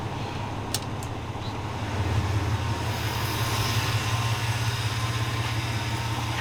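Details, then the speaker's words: 2002 Chevy S10 Blazer, cold engine idling before warm-up, 40 psi oil pressure, alternator charging: quiet smooth even low rumble rising slightly and staying steady; sounding good, normal idle. "we'll let this thing run a little bit more sounding good sounding good"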